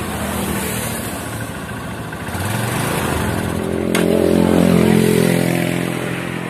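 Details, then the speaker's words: Honda Supremo TMX150 used for deliveries, clean fuel: engine misfires and bogs, drowning when throttle opened; air cleaner already cleaned, owner then cleans spark plug and carburetor as fix. "Ayan pakinig niyo naman mga idol may Menor problema pagka binibirit natin yung trotel a yan nalulunod siya mga idol"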